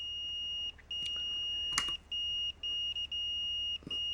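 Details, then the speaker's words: Expensive Fluke multimeter in continuity mode on a resistance box at about 90 ohms: high, thin beep cutting in and out irregularly. Intermittent beeping means marginal high resistance, not a good fuse or continuity path. "How often have you heard a mechanic in a YouTube video testing a fuse where it's beeping like this? Intermittent pulsing. Oh, if it beeps, it's good. No."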